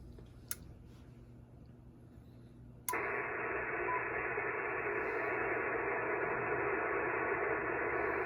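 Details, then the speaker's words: Ham receiver on Windom and cobweb antennas: quiet, then a loud steady rushing hiss floods in when a Pyramid PSV500 switching power supply is switched on, even when not connected to the radio; switching-supply RF interference. "you guys can hear the noise okay so that is with the power supply on the Windom that's on the cobweb"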